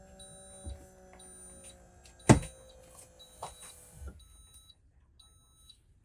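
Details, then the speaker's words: 2024 Newmar Bay Star 3014 auto-leveling: short high beeps about every second over the hydraulic pump whir and thumps as the jacks deploy, stopping once the coach is level; a normal warning. "so once the coach is level you can hear the warning um beeping stop and our coach is now level"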